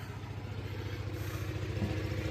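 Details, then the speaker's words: Onan generator running in a garage with the door cracked, heard from outside as a muffled, even low thumping beat at constant speed without stumbles, during a power outage; normal running. "In case you didn't already hear it running in the background behind the garage door here, I have a running generator."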